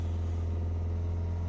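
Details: Peugeot 3008 1.6 eHDi 112 hp diesel, first start, held slightly above idle to avoid stalling: steady, even drone with no knocks, misses or hunting; running smoothly.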